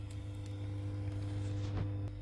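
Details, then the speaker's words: Old Philips Bi-Ampli B5X23A tube radio powered up on a variac after cleaning the EL84 sockets: loud, steady low hum with fainter higher tones on one output channel, the other fine; suspected failed coupling capacitor or tube. "you can hear that side is humming quite badly the other side's fine so we've got some issue there"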